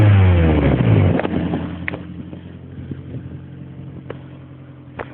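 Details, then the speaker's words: ZRE vehicle: revs fall back to idle, then faint, uneven ticking pulses ride over the engine. The owner suspects an exhaust leak or hole somewhere along the pipe; not confirmed. "there is a problem with my exhaust as you can hear the exhaust is still coming through this T up here but I suspect there is a lake somewhere along the line somewhere around here"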